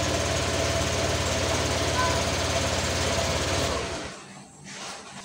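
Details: Honda Vario 125 injection scooter, which stalled while riding with a 12-blink injection code, idles at a steady, even putter with no misses after the code is cleared, then shuts off.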